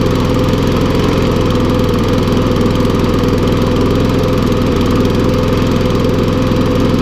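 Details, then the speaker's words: Briggs & Stratton lawnmower that last ran over two years ago, revived with little work. It runs steadily but a bit rough and smoking, with a faint crackle as it burns off oil and water in the engine. "There's a lot of oil and water. I can hear it crackling."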